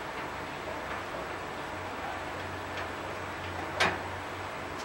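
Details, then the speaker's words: Batmobile go-kart suspension: occasional sharp metallic snaps over a low hum as the coil spring tops flex and click on their steel seat plate. "as you hear that clicking of the steel what that was is the top of my springs coming to rest on the plate that they come in contact with so when you hear that clicking and snapping sound it's the flexing of my springs as they expand and contract on the piece of steel"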